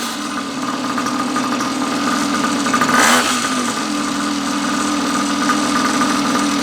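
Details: Neglected long-stored 49cc two-stroke pocket bike after carb cleaning, new fuel tap, fuel line, filter and tank; buzzes steadily at fast idle with one brief throttle blip midway, running evenly and healthy.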